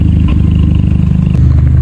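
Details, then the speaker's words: Cold start on a VW Mk5 Golf GTI, heard from the rear: heavy, uneven, stumbling idle thump, less severe than before and no longer shaking, but still misfiring. Codes show cylinder 1, 2, 3 and random misfires plus a MAF sensor fault. "you can still hear it a little bit misfiring if I come around to the back so it is it has a lot of w off but that could be it's a cold start and it is quite cold"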